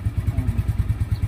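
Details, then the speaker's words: Yamaha Mio Sporty scooter after top overhaul and tune-up with valve adjustment and oil change. Earlier it was hard to start in the morning due to a leaking valve. Even, steady low thumping idle, valve clatter now gone. Normal idle. "Sa dati hindi yan mapaandar ng ayos ng maganda sa umaga dahil singaw na yung valve. So ngayon parang nagbalik sa, nawala yung kalansing, no?"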